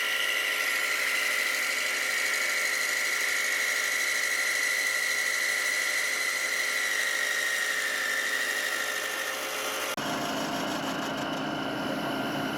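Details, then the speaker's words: Milling machine emitting a steady high squeal over its hum while machining hub dyno frame parts; squeal comes from the drive, suspected electric motor or variable speed mechanism, not the cut. "As you can hear, all that squealing, it's not actually coming from the machining. Coming from the, I don't know, the electric motor up there or the variable speed mechanism."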